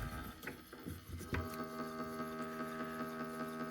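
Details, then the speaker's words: Stepper motor with 1:30 worm gear driving a telescope equatorial platform, clutch disengaged, on an A4988 driver: clunks then a loud, steady multi-tone buzzing whine; the A4988 driver is too noisy and is replaced by a TMC2209. "what happens when I start it you can see it's fairly loud I'm not sure if you can hear that or not"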